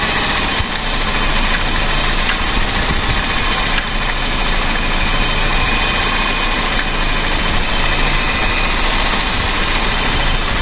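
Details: Car that had been misfiring, now idling after spark plug replacement and correcting swapped plugs to the 1-3-4-2 firing order. Smooth, unchanging deep idle with no missed beats; the engine runs cleanly at normal idle.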